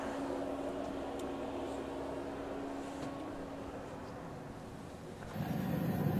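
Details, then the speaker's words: Autoterm Air 2D diesel heater in a Mercedes 310 T1 van, heard under the van: soft steady fuel pump ticking about four per second over low air-intake hum, exhaust quiet, no smoke or smell; normal. "under the van you can hear this clicking noise from the fuel pump and the other noise that you can hear is from the air intake the exhaust pipe is absolutely quiet"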